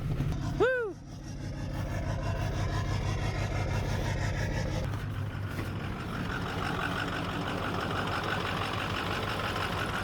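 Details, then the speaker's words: 2008 Ford F-450 6.4L Power Stroke diesel idling: a deep, uneven rumble with a lumpy beat from a misfire where one cylinder drops out (low compression), worse in limp mode. The engine is unhealthy and due for removal. "well you can kind of hear the misfire she's got that ain't nothing until it kicks into limp mode it sounds like a six liter that's dying"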